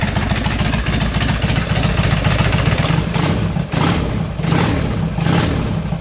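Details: Custom Harley bobber, 2007 Road King 96-inch engine, S&S Super carburetor, Ultima 6-speed, after battery replacement fixed intermittent starter clunk: loud V-twin lope with throttle blips, no clunk or grinding; running cleanly.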